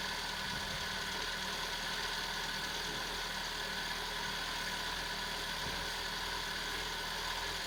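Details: 1991 Citroen BX 1.4 with 81,000 km, off the road for 10 years with old oil and cambelt, idles evenly with a smooth hum under some hiss, no knocks or misses; it seems healthy.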